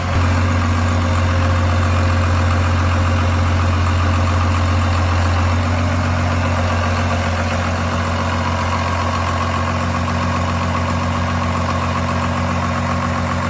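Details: 1986 Ford F350 bullnose with a swapped-in 12V Cummins diesel, running after the swap: deep, steady idle with an even low throb and no knocking or stumbling; healthy engine.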